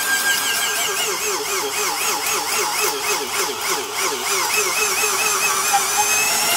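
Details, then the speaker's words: High motor whine sagging and recovering as a Porter-Cable 372 1/2-inch D-handle drill with a 3.6 A motor bores a deep cross hole in wood; it bogs down but pulls through, normal heavy-duty behaviour. "you could still hear it bogging down but it was pulling through and that's exactly the kind of situation that makes a tool actually heavy duty is the fact that it can be run bogged way down like that"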